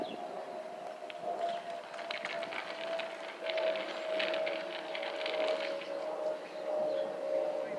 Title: Delta Airlines Airbus A319 & A320 FOPP Whistling Sound of 2019